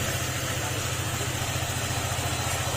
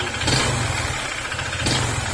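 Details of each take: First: Honda ADV150 after block and fuel pump replacement and ECU error codes cleared and reset: smooth, even idle with a steady rapid beat, correct idle speed, no knocking or ticking; normal idle. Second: Honda ADV150 scooter at idle: rattly knock that swells on two brief throttle blips, rising with acceleration, diagnosed as connecting rod problem; engine block and fuel pump later replaced.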